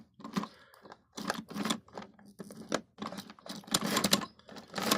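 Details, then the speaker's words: Hornby OO gauge Flying Scotsman model loco on layout track after fixes: short uneven bursts of mechanical chatter with near-silent gaps, stalling and restarting; ran fine on rolling road, other locos run fine on this track, cause unknown. "you can hear that it What happens is it has this kind of like weird stop start chug chug."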